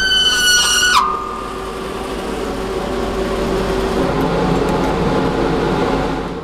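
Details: Zündapp KS50 two-stroke on a dyno. A screaming high-rev wail at about 13,000 rpm cuts off abruptly into a rough dragging rumble as the piston seizes.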